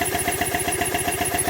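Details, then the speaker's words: Triumph T100 Bonneville, zero miles, stood for years, would not start: short uneven twin idle with ticking injectors, running only on air-pressurised fuel line, so injectors fine and the fuel pump has failed. "so that says to me that the injectors are fine so we've established now fuel pump or whatever inside it has failed"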